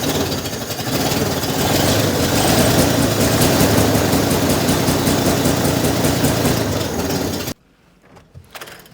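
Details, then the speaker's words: Chopped, bagged Chevy Corvair flat-six, cold day, just fitted with replacement carburetors, idles on its own with a lumpy, uneven chuff about three beats a second before cutting off; previous carbs wouldn't idle without throttle; rough idle. "although it doesn't sound good this is a huge step because the car would not idle on its own with the other carburetors if I wasn't on the throttle in the car"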